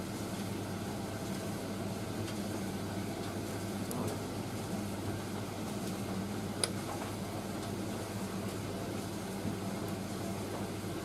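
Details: Indesit IS31V 3kg compact reversing tumble dryer running its first load with heat on; quiet, even drum hum with faint occasional clicks, no thumping or shaking, dryer running normally.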